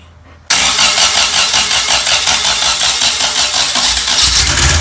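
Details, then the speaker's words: Freshly rebuilt 1600 air-cooled flat-four for a 1965 VW Beetle, timing set, with choke working and described as a little fuel hungry: catches at once into an even, busy clatter with steady pulsing and clean revs; normal running. "going to find out it's a little fuel hungry the choke is working on this thing"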